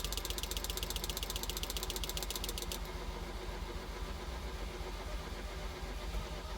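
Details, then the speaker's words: 1983 Ferrari 308 QV being rebuilt after fuel leaks, with a low battery; slow, uneven cranking with faint chugs but no catch, slowing as it goes. Relays click, so the fuel pump seems okay, and a new battery is planned. "you can hear it almost kind of chugging a little bit there I've had it better than that but yeah now I've got low battery again"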